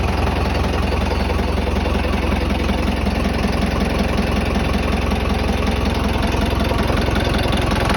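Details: Tata 709 non-turbo diesel, first start after overhaul: steady, even diesel clatter at idle with a regular beat and no knocks or misses. Normal idle.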